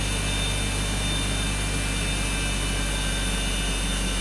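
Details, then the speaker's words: BMW X5 that had been misfiring (bank 2 read lean), coolant 45°C, oil and radiator outlet 42°C, intake 46°C; steady even idle hum with no stumbles or skips, now no misfire whatsoever, cause still unexplained. "This car has no misfire whatsoever right now. Runs perfect."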